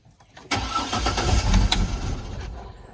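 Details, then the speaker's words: 2004 Chevrolet Trailblazer inline-6, fuel pump relay 41 pulled to relieve fuel pressure before filter replacement: starter cranks with a steady chug, about two and a half beats a second, but it never catches with no fuel. "there we go so it's no fuel because the fuel pump is not working currently so we're in good shape now"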